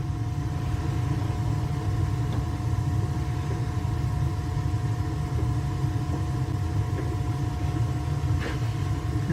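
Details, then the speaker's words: Burnham boiler after replacing wrong-model gas valve, startup low fire increasing, good draft: even low flame roar with faint steady hum, no pulsing or rumble; burner firing cleanly during combustion test. "On the startup. You can hear that it's running better. Low fires and increases."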